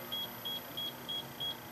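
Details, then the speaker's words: Hydrogen sensor alarm beeping steadily near 3 kHz, about three per second, as sealed vented box of 48 V lead-acid batteries gasses heavily while charging near 59 V; reading passed the 8,000 (0.8%) alarm setpoint. "And you'll hear basic well the hydrogen gas is going up. And right here is the alarm that's set."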